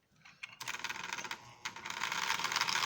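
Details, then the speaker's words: Repaired Marx Union Pacific E7 toy locomotive running at about five miles an hour: light, even ticking and whirring with a little gear noise as the gears mesh, quiet and running properly. "and it's really a quiet engine get it on the track now you can hear a little bit of uh gear noise which is prototypical for these engines uh as the gears meshed together but it's not a real live ground"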